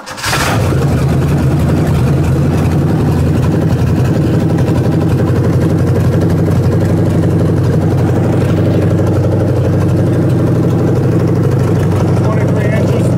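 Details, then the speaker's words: Ford 302 V8 for a 1967 Mustang, started after timing was backed off to stop carburetor blowback: catches and runs with a steady deep rumble for several seconds, fuel line left disconnected, then dies; stalling from fuel starvation. "We forgot to hook the fuel back up. so that's probably why it died."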